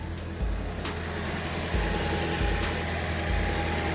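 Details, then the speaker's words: 2008 Toyota Corolla LE after replacing the failed ignition coil causing misfire code P0303 and clearing codes: steady, smooth idle with no stumbling, firing on all cylinders, much smoother than before. Normal idle. "Let's let the car idle. Oh yeah, night and day. A lot smoother."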